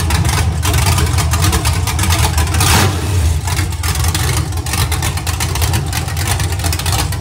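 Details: Iron 5.3 LS LM7 V8, believed 2002–2003, likely BTR Stage 2 truck cam (212/218, about 9° overlap), on a run stand with open headers; lumpy idle smoothing into a clean, even roar as revs rise, no knocks or misses, healthy.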